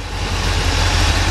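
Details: 1981 Chevrolet K5 Blazer V8 at idle with small throttle blips: loud steady burble through free-flowing exhaust, no miss; occasional belt squeal from painted-over pulleys; engine runs fine.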